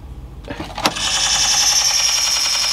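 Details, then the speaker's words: 1960s–70s Sony TC-357 valve reel-to-reel tape recorder, sat unused: harsh steady high-pitched screech when the drive mechanism engages; owner suspects an idler slipping, unconfirmed. "what's making that horrible noise I know maybe it's not that's when I connect to it so some sort of idler or something"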